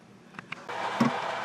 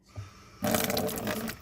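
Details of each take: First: Drummond 1 HP shallow well pump after repair of pressure loss and constant on-off cycling: a couple of light clicks, then the motor kicks in with a steady, even hum, no rattle or cycling; normal start. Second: Drummond 1 hp shallow well pump with pressure loss: fast staccato chattering, about three pulses a second, over running water as the pump cycles on and off constantly with one faucet open. Short cycling because the pressure tank has lost its air charge.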